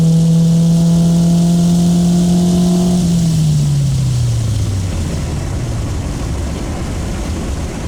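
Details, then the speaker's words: 1995 Honda Civic EJ coupe after fix: the cheap eBay muffler, which rasped from about 4,000 rpm, was packed with fiberglass insulation. A quick pull gives a deep, smooth drone falling with revs and no raspy buzz. The exhaust note is clean. "it sounds pretty good. I didn't hear any rasp during that quick pull."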